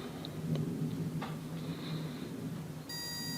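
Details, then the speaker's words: Auto pulse desulfator clipped onto dead 12 V battery of a Mercedes W123, reading 12.1 V: faint short beeps, then steady high buzz as it selects voltage and starts pulse repair cycle normally. "It will make a buzzing sound, it will make beep beep beep, and it should repair the battery automatically."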